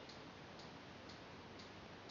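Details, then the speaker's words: CBR 2 ultrasonic motion sensor connected to a TI-Nspire with the DataQuest app running and the green light on, measuring a book moved slowly away and back. Light, crisp clicks repeat evenly about twice a second over soft hiss: normal pinging. "the motion sensor green light will come on and you'll hear a clicking sound"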